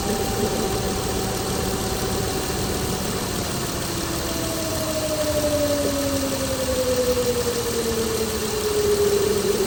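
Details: 2016 Chrysler Pentastar 3.6L V6, stated as about 2017 in a 2017 Dodge Ram 1500 regular cab, idling with a loose, uneven knock and a thin whistle slowly falling in pitch; owner reports a massive cranking noise at start; cause unclear.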